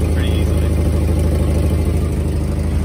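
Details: Volvo 240 warmed up at idle, before repair: rapid ticking puffs about three per second from a cracked exhaust leak; to be fixed with high-temperature metal repair paste.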